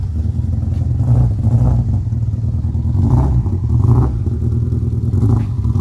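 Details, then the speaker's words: 2003 Subaru Impreza WRX EJ20 engine in a 2005 Peugeot 206 rally build, first drives before tuning: lumpy, uneven beat that stumbles as it revs, almost like running on three cylinders; misfire, cause not yet confirmed. "I will now play the clip again so you can hear the perjury it almost sounds like it's running on three cylinders let's hope it's a simple fix"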